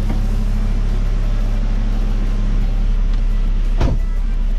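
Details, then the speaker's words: Saab after automatic transmission fluid flush, shifting into gear and reverse at idle: one soft clunk on engagement, no slipping or flare, less jumpy than before; normal transmission engagement. "all right we're in gear that's reverse lower [Music] everything's working it's not like his jump as it was which is cool"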